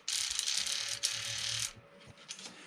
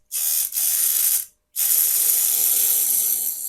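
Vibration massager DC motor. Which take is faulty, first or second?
second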